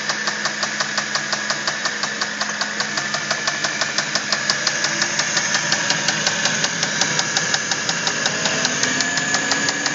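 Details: Audi A8 D3 engine with sharp metallic knocks about three per second over the idle, steady and hard-edged; connecting rod knock, with the connecting rod named as the cause.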